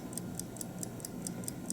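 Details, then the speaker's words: 1950 Buick Roadmaster New Haven dash clock, weakly wound: light, even ticking about four or five per second, then it stops. "oh there just stopped actually so that was the end of that"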